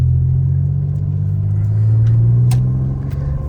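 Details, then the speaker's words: Pontiac 6000 wagon with swapped 3800 supercharged V6, driving after fuel injector replacement; low even drone pulling steadily under acceleration where it previously misfired, no stumbles, running smooth. "Yeah, before if I had to accelerate like this, it would start misfiring. It's running good now."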